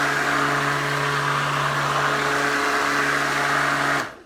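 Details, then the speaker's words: Ryobi 18V 13-inch mower P1104 that kept stalling, after reseating the cord connection; steady, even motor hum with constant pitch, no cutting out, clean spin-down; running normally. "Okay, so that seems to work fine. Other than that, no major issues with this lawnmower."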